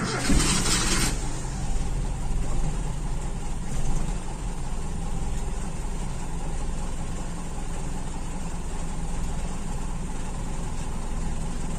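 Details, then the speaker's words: Toyota Kijang Super 5K with original Aisan carburetor and FMT jets, fed from a jerry can, fuel line empty: starter cranks steadily for a long stretch without catching while air purges from the line. "nanti kita hidupkan pasti agak lama benar-benar harus sampai hilang udaranya"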